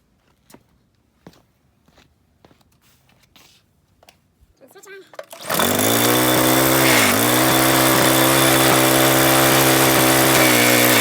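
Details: Troy-Bilt pressure washer with Briggs & Stratton engine, stored with fuel over winter, carburetor replaced, water hose attached: a few quiet knocks, then fires first pull into a steady, even drone with no misses.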